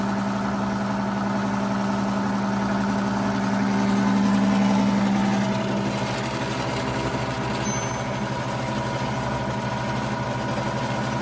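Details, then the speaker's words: 90-year-old Gilbarco Model 80 (GMB 80) service station gas pump, rebuilt and running: a steady, even motor hum with a smooth pulse about four per second and no knocks. It is pumping fuel and runs smoothly. "Yes, she's running and she's pumping. She's fully operational. Now that's what you call getting pumped up for New Year's. She runs quite smoothly after 90 years."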